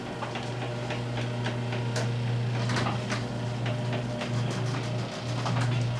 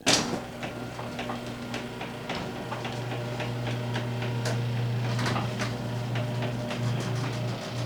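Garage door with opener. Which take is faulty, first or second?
second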